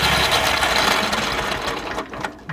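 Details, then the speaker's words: Wright Stander mower running: harsh, rapid high-pitched rattling chatter; owner first suspected the drive belt, now suspects badly worn idler pulley bearings needing a new idler pulley; loud mechanical noise. "be that idler pulley - could be the bearings on it hmm yeah those bearings they seem really really bad"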